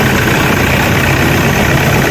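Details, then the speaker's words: Toyota Innova after replacing idler bearing, alternator pulley and drive belt (previously droned when running): steady, even idle, smooth low rumble, no whine or hum from belt drive; noise gone, normal idle. "Tingnan natin kung mawala yung tunog. Ayos na. Wala ng tunog."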